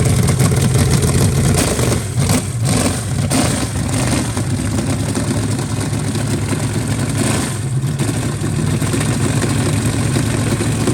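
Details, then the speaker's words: Rebuilt Chevy 350 for 1968 C10 on test stand, first fire-off in freezing cold, new Brawler carburetor untouched out of the box, new Hedman headers; lumpy V8 idle, throttle blips pick up and settle cleanly. Normal running. "thumbs up to brawler carburators that that worked pretty good right out of the box"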